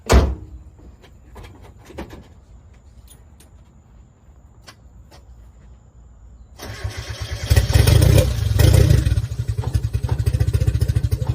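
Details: 1990 Mazda Miata, hot-wired, started after sitting about 7 years on old fuel, starter having issues: long, weak cranking with scattered clicks before it catches, then a loud, lumpy, uneven run, missing on some cylinders; cause suspected, not confirmed.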